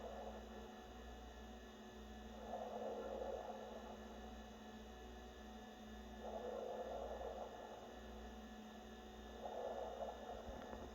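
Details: New NewAir 6-inch 7-bottle compressor wine fridge running: a steady low hum with a bubbling gurgle swelling every three to four seconds, likely refrigerant. Cause unclear.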